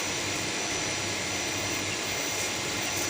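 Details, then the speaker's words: Water pump that wouldn't draw water, after fitting a new capacitor: constant smooth high whir, no rattle, hum or bogging; motor now runs smoothly and spins faster. "Oke Guys berhasil suaranya halus putarannya lebih kencang"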